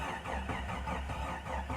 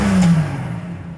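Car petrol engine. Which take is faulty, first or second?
first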